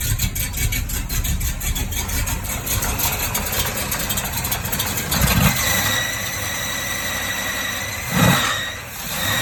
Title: Excuse the belt squeal